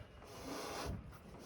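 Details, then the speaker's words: Scooter on its center stand with the front tire nearly worn out: a soft scraping rasp swells and fades as the rear wheel is spun. The oversized rear tire still drags on the ground. "and you can hear it you hear that as I'm spinning it it's still touching the ground even though it's on the center stand and my front tire is pretty much worn out"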